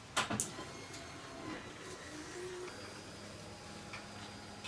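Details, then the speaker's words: Kawasaki Ninja H2 engine salvaged from a crashed bike, with fresh oil and filter, makeshift tank: faint steady electric whir of the fuel pump priming before a start attempt, engine not running; normal priming. "yeah you can hear it priming now"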